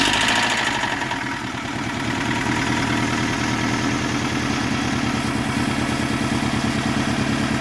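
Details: Toyota Camry 5S-FE, first start after new oil pump, rod and main bearings: steady idle with quick, even tapping about three per second, louder on mic than in person; source unknown, no exhaust leak heard; ticking at idle.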